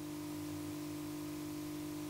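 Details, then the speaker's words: NAD C520 CD player at power-up after reassembly. It runs but gives a constant, even hum with a faint hiss that never changes; the cause of the abnormal hum is unknown. "like this but it's running it works but this blue don't know what happened with this sound you cannot live with that"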